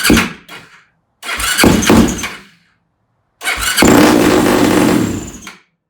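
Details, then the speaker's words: Yamaha YFZ450 single-cylinder quad at first start after rebuild and carburetor mid-body rejetting; fires in three short revving bursts with silence between, never holding idle; rough running, owner suspects carburetor too lean. "Now, something's off a little bit, but I don't know what it is. Man, I think my carburetor is off a bit."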